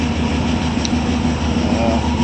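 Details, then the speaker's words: 1972 GMC six-cylinder ice cream truck after tune-up with cleaned fouled spark plugs and vacuum line moved from manifold to ported; steady low rumble, even beat, no misses or knocks, now running on all six cylinders. "but the car it just sounds so much better now it's running on all six cylinders"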